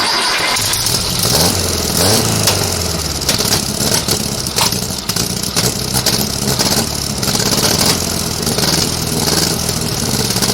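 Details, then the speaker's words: VW engine for a 1956 Oval Beetle, first start on a chilly day with carbs primed with cleaner, electric fuel pump, left accelerator pump leaking; catches and runs ragged, lumpy and stumbling; rough running from unsynchronised twin carburettors, still needs tuning. "it's gonna be rough I warn ya so please don't give me a thumbs down for but it's still gonna need some tuning"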